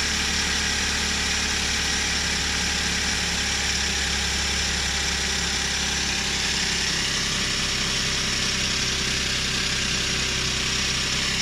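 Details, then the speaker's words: Suzuki Every Wagon DA64W, K6A 660cc, after replacing belt tensioner bearing (NGK 6909 DUM1) and tightening belt; steady smooth idle hum, no rattle or rubbing; normal idle. "Ayan, wala nang ingay. Tahimik na ulit yung ating makina. Pag smooth na siya, wala na siyang ingay na parang kumikis-kis."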